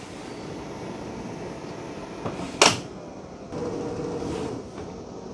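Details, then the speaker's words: Robot vacuum at its dock: over a steady whir, one sharp clunk as the mop pads are dropped, then it hums on to undock and vacuum carpet; normal mop pad release. "You'll hear a clunk. There it is. The mop pads are dropped, and now it's going to undock itself and go vacuum that carpet."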